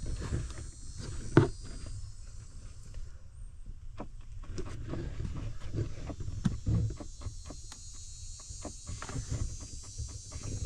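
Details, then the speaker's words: 2019 Ford Ranger SuperCrew Lariat FX4, glove box removed to reach the cabin filter door: irregular light clicks behind the dash over low engine hum; owner suspects an actuator cycling up there, unconfirmed, says it may have done it since new. "You can still hear it. It's like it's cycling or actuating. I don't know."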